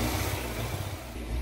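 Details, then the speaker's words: Fiat 500 that was overheated and driven until it stalled: rough, uneven low idle that keeps stumbling, fluctuating with no throttle response; misfire from a blown head gasket, smoke coming from the gasket. "oing to diagnose it and have a look and see what's going on here because that misfire sounds bad. And also, we haven't got any throttle."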